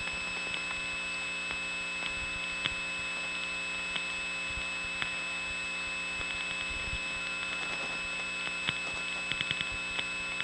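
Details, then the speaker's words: Bell step-by-step exchange, Raleigh NC, 1979: dialing from second line gives busy, first line rings, ring trips immediately, leaving a steady high buzzing hum with faint clicks; hum from a miswired hundred-group line 99 test line. "the second line will get a busy signal and this first line will start ringing the ring will immediately trip you'll hear a hum"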